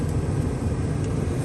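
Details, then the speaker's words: 1980s GM G-body, HVAC blower on max after the no-airflow fault was traced to a disconnected cable from the cigarette lighter harness: steady, even rush of air with a low hum, no ticking or rubbing; normal blower operation. "so key is switched on it's on off right now we're going to switch it to max look at that now i have airflow"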